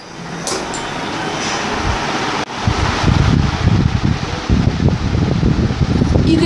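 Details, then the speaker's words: Older Crompton Greaves 36 inch ceiling fan with metal blades, at full speed: low steady droning hum like an airplane engine under the airflow, still runs well; speed 1 does not work; cause of drone unclear. "as you can hear this fan has a pretty weird noise to it which I cure you I do even sounds like an airplane engine but still runs pretty well"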